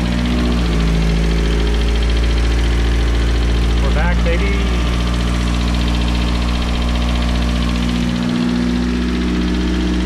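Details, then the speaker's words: Built turbo 1.6 Mazda Miata, first start after maintenance, idling around 1,500 rpm: deep steady idle with a faint light tick about four times a second; judged just a little tick, runs fine. "Good. It's not that. It's just a little tick."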